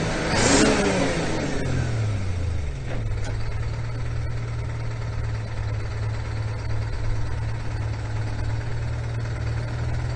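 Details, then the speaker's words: 1974 Ford 9000 truck with 8V71 Detroit diesel moving a trailer: revs, then settles to a steady low drone with slight unevenness; fuel system acting up again, suspected loss of fuel pressure. "Sounds like the screaming Ford is losing fuel pressure, which isn't good."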